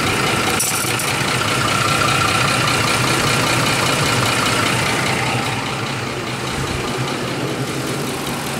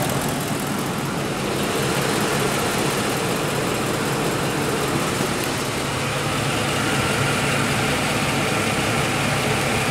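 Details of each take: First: 2004 Ford F150 5.4 3V Triton V8, 104,000 miles, idling with a loud diesel-like clatter from worn cam phasers. Changing the VCT valves didn't help; replacing both phasers made it quiet. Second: 2004 Ford F150 5.4 3V Triton V8, 104,000 miles, after replacing both cam phasers with OEM parts (VCT valves alone didn't help): smooth, even idle with only a light injector tick, no diesel-like knock or rattle.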